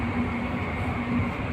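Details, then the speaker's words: 11 kW AHU blower motor that won't start: loud steady low droning hum without run-up, current over 500; defective soft starter passing only two of three phases, motor single-phasing. "इसके अंदर दो face जा रहे हैं एक face नहीं जा रहा ठीक है मोटर की आवाज जो है ऐसे मतलब बहुत जोर से आवाज ए रही है"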